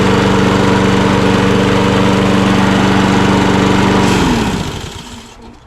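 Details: Mower with a Kohler XT675 auto-choke engine holding a smooth, even drone with no misses or knocks, then winding down cleanly at shutoff. Runs healthy.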